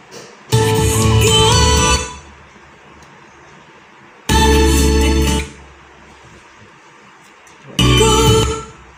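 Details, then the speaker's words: Sansui AU 5900 amplifier: music plays about 1.5 seconds then drops to near silence repeatedly; technician suspects DC reaching output transistors, tripping speaker protector relay, from a faulty component. "kemudian speaker protector nedo aktif gitu jadi muncul suara sebentar terus hilang suaranya karena reliefnya aktif"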